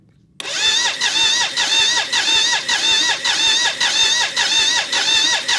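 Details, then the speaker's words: BMW K75 (three-cylinder) cafe racer custom, start attempt after rewiring ignition coils and fuel pipes, pump running: starter whirs in even rise-and-fall about two pulses a second, no firing; cranks but won't start. "nope there we go so getting fuel now at pressure and i need to arrange this differently okay try again"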